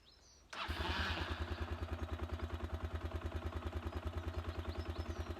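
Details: 1999 Honda XLR125R, JD09E engine with new 150cc kit, first start on half choke: fires on the first kick and settles into a steady, clean thumping idle, about three beats a second.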